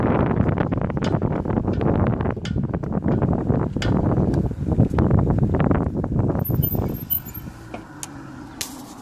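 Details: Cromotor electric bike hub motor clicking irregularly, about three times a second, under acceleration and regenerative braking, heard under heavy wind noise.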